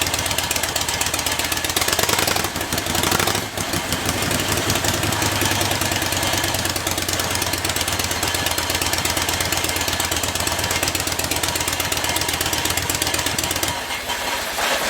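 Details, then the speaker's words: Freshly rebuilt Harley-Davidson engine just after first start with choke, pushrods and timing newly adjusted, not yet warm: fast even mechanical clatter over a loud uneven V-twin beat, steady; runs fine, head bolts to be retorqued once warm. "Okay, that sounds really good."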